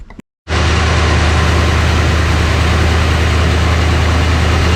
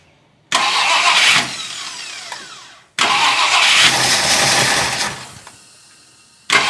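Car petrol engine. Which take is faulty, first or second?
second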